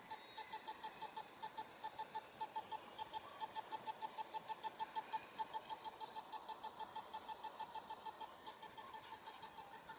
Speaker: Den typ tickar och det låter som en typ bomb. Att den snart ska sprängas. Men den funkar som den ska och sådär. Den tickar just nu.